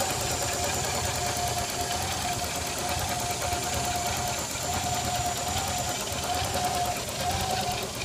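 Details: 1986 Nissan 300ZX petrol engine idling with a busy, slightly uneven clatter under a steady airy hiss and faint whistle from a vacuum leak.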